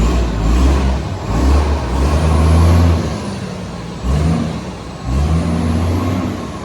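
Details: Heavy diesel garbage truck SL025 on recycling collection: deep, loud roar through each rev with air brake hiss; exhaust sounds unusually raw, a suspected massive exhaust leak, not confirmed.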